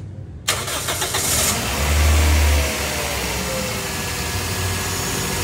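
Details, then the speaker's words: Gen 1 Toyota Vios after engine overhaul, test start before handover: brief crank, catches cleanly, steady even idle with no knocking or tapping; engine confirmed quiet. "So ino-obserbahan po namin yan kung talagang tahimik na. So sa scenario nito mga kadadods, tahimik na po yan."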